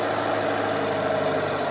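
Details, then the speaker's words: Daihatsu Taruna/Feroza carburettor being adjusted: steady idle hum drops lower when primary throat is about 50% covered, showing primary circuit running too rich. "Coba kita sekarang berpindah ke bagian primer ini suara nyemprotnya keluarnya bensin terdengar Diat ini kalau kelebihan bensin yang terlalu kita tutup Begini Nah ini putaran mesin jadi tambah"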